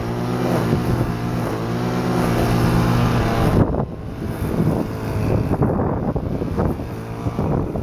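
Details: Stihl FS-250R two-stroke trimmer after carburetor rebuild kit (hardened diaphragm from long storage with old fuel), cutting wet grass: high steady buzz, slight bog as it bites, recovers cleanly; normal running under load.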